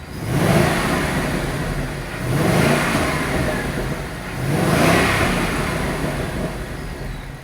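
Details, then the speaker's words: Salvage-auction, heavily crashed Roush supercharged Ford Mustang on first start, about 30 psi oil pressure, no leaks, smoking: three clean throttle blips with a faint supercharger whir and no knocking; sounds healthy. "That sounds good. Don't sound near as good as a motor car, let's be honest."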